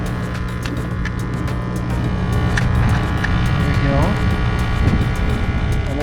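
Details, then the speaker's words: Aquascape pond pump running normally after being plugged in along with its pump safety switch; steady low hum with faint buzzing vibration, loud with the lid off, and the lid dampens the sound. "This will dampen the sound, as you can probably hear it quite a bit. That'll dampen quite a bit. Basically, we're going to set this. You can kind of still hear that vibration."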